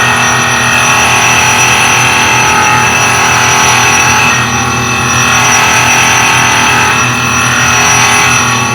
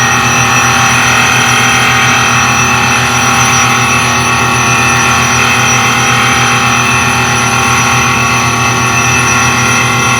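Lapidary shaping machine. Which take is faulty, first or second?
first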